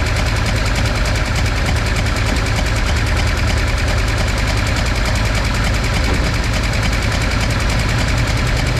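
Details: V8 after compression test, spark plugs and plug wires refitted and coil/distributor ignition reconnected; loud steady run with uneven low throb and no clean rhythm; backfiring/rough running persists, cause unconfirmed.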